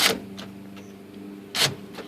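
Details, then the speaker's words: 1998 Jeep Cherokee XJ rear hatch power door lock after splicing a repaired pink wire: two crisp, snappy solenoid clacks about 1.5 s apart, lock then unlock; the actuator now works properly. "it locks and unlocks cool is that Moment of Truth it's locked or it's unlocked"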